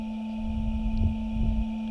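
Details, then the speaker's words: RAM truck Headlight Experts LED headlight bulbs with CANbus, just connected: a steady electric whir and thin high whine that slowly winds up over a minute like a jet spooling; the bulb's cooling fan running. "it is slowly wound up over a minute. It sounds like a jet engine spooling up."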